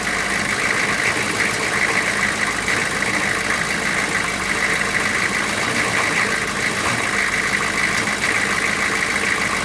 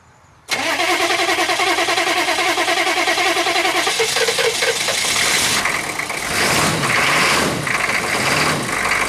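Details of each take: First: GM 6.5 turbo diesel, just restarted after sitting about four to six years, coolant leak found. Steady, even diesel idle with constant clatter, no misses or surging; running smooth. Normal idle. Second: GM 6.5 turbo diesel first start after sitting about four to six years, low on coolant; it cranks, compression is doubted, then it catches with smoke and runs lumpy and uneven for a few seconds before the beat settles.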